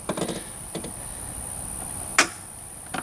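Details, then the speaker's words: Tractor that won't start, new battery fitted, key turned: one sharp tick from the starter and no cranking; owner suspected starter or short, fault turned out to be a bad starter relay. "and just a tick from the starter so that's got to be it's either the starter oh it's shorted in here but it sounds like something's getting through to the starter"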